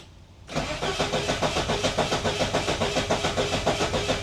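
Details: 1988 Saab 900 Turbo, non-start for months, checking for spark: steady rapid starter cranking about three and a half pulses a second with no firing; spark present but intermittent, fuel next to check; later fixed by a Hall sensor replacement and a 10-cent fix.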